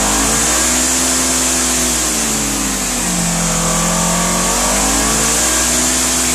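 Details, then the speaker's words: 2016 Polaris Ranger 900 XP after being sunk, water drained from engine, airbox and muffler, fresh 5W-20 oil and filter: revs rise and settle smoothly, no knocks or misses; engine runs healthy. "well it looks like she's okay"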